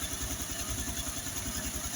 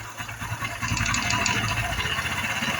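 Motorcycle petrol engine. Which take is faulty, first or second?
second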